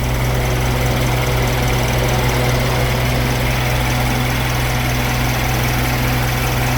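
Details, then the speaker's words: 2008 Suzuki SX4 2.0L J20A 16v petrol four-cylinder after repair for bottom-end bearing rattle at higher RPM, timing cover and intake manifold refitted; steady even idle with smooth low rumble, no knock or rattle. "car so we the engine not making noise nothing so all good"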